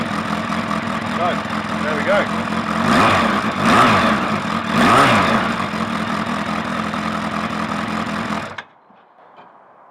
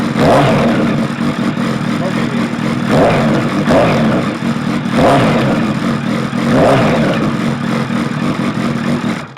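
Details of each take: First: Suzuki Bandit 1200 first start after fitting a manual cam chain tensioner, clutch work and a Max Torque exhaust can with baffle in: big four starts and settles to a lumpy, loud, throaty idle with blips; sounds healthy. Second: Suzuki Bandit 1200 with manual cam chain tensioner and Max Torque silencer, baffle removed: deep, open rasp swelling with each throttle blip and dropping back between; very loud free-flowing exhaust, likely to fail noise tests, so baffle stays in.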